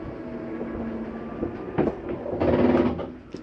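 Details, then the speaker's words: 2022 Jayco Jay Feather 24BH RV slide-out retracting: steady motor hum, then a short harsh grinding burst as the room pulls fully in, the mechanism signalling it is all the way in; normal end-of-travel grinding. "slight grinding noise it sounds like not the case it's actually just a mechanism telling you i'm in all the way you can stop"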